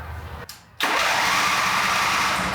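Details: John Deere Z425 zero-turn mower engine during repair: short pause, then steady, even cranking whir with no firing; cranks but won't start, fuel coming out but not reaching the top, fuel-delivery part sticking suspected.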